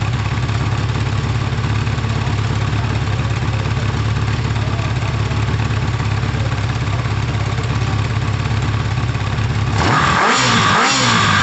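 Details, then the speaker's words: Kawasaki ZL600 four-cylinder, carbs not yet synced: busy idle with a slightly lumpy beat, as if one cylinder pulls weaker, then a throttle blip; unsynced carbs likely cause. "the the crabs aren't tuned they're not balanced actually they're not synced so if it sounds like that unsynced what's it gonna sound like synced"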